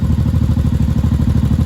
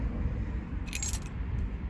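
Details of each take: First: 1983 Honda Shadow VT750C V-twin after final assembly, with upgraded filter, fan switch manual: steady, even lumpy thump at idle with no misses, knocks or rattles; healthy idle. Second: 1983 Honda Shadow VT750C after final assembly, first start attempt on new fuel with choke on, fuel pumped up to carburetors: few seconds of quiet then steady rapid cranking that never catches; flooded.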